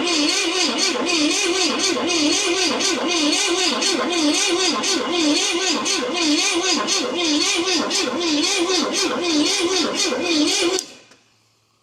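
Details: 1969 Pontiac GTO, apparently Pontiac 350, sat 35 years, HEI ignition, timing being adjusted: starter spins the engine evenly, about 167 beats a minute, for ten seconds, never fires; later found stuck valves on passenger head and weak compression.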